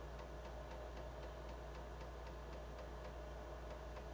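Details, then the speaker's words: BBC floppy drive after cleaning its heads: crisp, regular ticks about four per second over low motor hum as the head steps cleanly across the disc, much better than before. "probably hear it clicking away. Yeah, that's much better."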